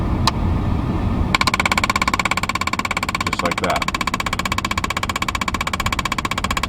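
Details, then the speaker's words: 2004 Mercedes ML320 (W163) running with the fan on: fast steady clicking, about ten a second, when the temperature dial is turned toward cold, because the blend door actuator is stuck and won't move. "you'll probably hear a lot of clicking as you turn the temperature dial usually towards cold it'll start clicking because it's stuck and it won't move anymore"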